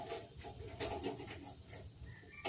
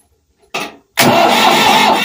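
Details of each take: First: Ford 4000 tractor after replacing the fuel injection pump inlet cover plate. About two seconds of loud, labored cranking cuts off without catching, from air still in the diesel fuel system. Fixed by bleeding the pump. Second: Ford 4000 tractor diesel after replacing the injection pump inlet cover plate and bleeding air from the fuel system. A short crank, a brief pause, then it catches at once and settles into a steady run. Fuel is now reaching it properly.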